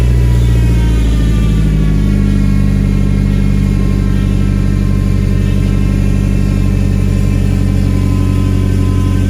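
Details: Nissan 240SX after new gaskets fixed its exhaust leaks and a muffler was fitted to the ISR single GT exhaust, recorded with the garage open. Deep, steady idle rumble with a blip and no ticking or puffing; the exhaust is sealed and normal. Owner mentions a whining belt.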